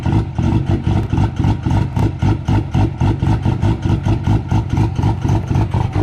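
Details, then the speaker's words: Cummins diesel truck at -6, grid heaters unplugged, not plugged in; uneven loping idle pulsing about four times a second with smoke after cold start; cold start lope without grid heaters. "It doesn't do that if it's got grid heaters. It just fires right up. It's hilarious. Yeah, so that whole loping thing where it's all freaking out with all this smoke, if you got grid heaters, it doesn't do that."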